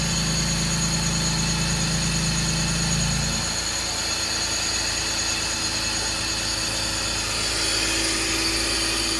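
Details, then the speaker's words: BMW 325i E46 with P0174 code, after replacing vacuum hoses, boots and DISA valve O-ring: engine idles steadily, then the note drops, with a thin constant hiss on top; owner suspects leak still at the DISA valve O-ring. "so sounds like there is a leak coming from this disavow still so I may need to take it back apart and oil up a ring some more"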